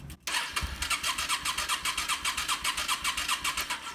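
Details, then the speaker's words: Yamaha Star 650 motorcycle cranked on the starter with carb bowls emptied and a spark gap tester fitted: even quick chugging without firing; normal starter cranking, good ignition spark confirmed. "I'll turn on the bike we can hear the fuel pump is empty and now I'll hit the starter and we'll look for spark"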